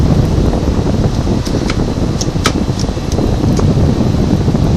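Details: 1970s GE Slumberline 5,500 BTU window AC with a clogged spiny-fin coil, running after a closed/open vent noise comparison: steady fan whoosh over an even compressor hum, no rattles or knocks. It runs healthy.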